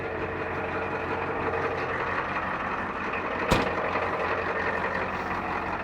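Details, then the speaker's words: 1989 Ford F250 7.3 IDI diesel started after sitting eight or nine days: steady, even idle clatter with one brief pop midway, no misses or knocks; healthy idle. "I ain't started that thing in probably eight or nine days oh it's gorgeous absolutely gorgeous"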